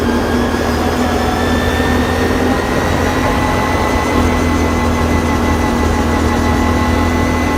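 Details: Can-Am Renegade 570, present since purchase at 1,000 km: a steady high-pitched whine rides over the engine drone at constant throttle, most obvious at 30–60 km/h; source unknown.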